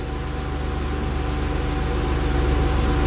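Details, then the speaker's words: 1991 Acura NSX track car with J-series engine swap and AEM V2 standalone ECU, idle being tuned toward 850 rpm target: steady even idle, smooth low rumble, actual within about 50 rpm of target, AFR around 13.8–14.0; stable idle. "Okay, they're pretty close, within 50 RPMs or so right there."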